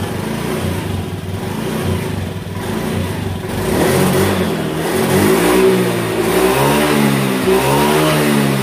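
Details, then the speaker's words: 2018 Honda Beat that lost power at high rpm from a faulty TPS, after the TPS workaround fix: engine climbs cleanly from idle into repeated strong revs, pitch rising smoothly with no stumble; pulls healthy. "oke sudah mantap jadi begitulah tadi cara mengatasi TPS yang sudah rusak ya"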